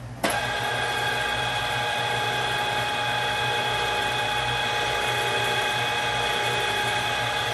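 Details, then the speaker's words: Bolton Tools ZX32GP bench top mill after quill bearing and seal replacement, run at high speed about 15–20 seconds each direction: steady gear whine with faint rhythmic rise and fall, cyclical noise from the gearhead cluster shaft. "you can hear the cyclical of the cluster shaft"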